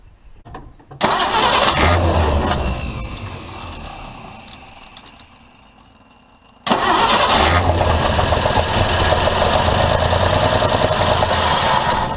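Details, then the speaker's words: Old International truck with a new fuel pump, fed from a borrowed tank through new rubber line: two long cranking bursts that never catch. No fuel reaches the carburetor, and the owner thinks the new pump is no good. Cranks, no start. "It should have been running long enough to push gas up to the carburetor. I'm thinking this new pump is no good at all."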